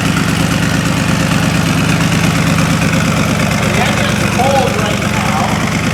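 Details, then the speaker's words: 1972 Corvette with fuel-injected LS swap, 4-speed automatic and custom side-pipe exhaust; electric fuel pump primes first, then start: deep, even V8 burble at idle, steady beat, no knocks or misses; normal idle. "How smooth and quiet everything is."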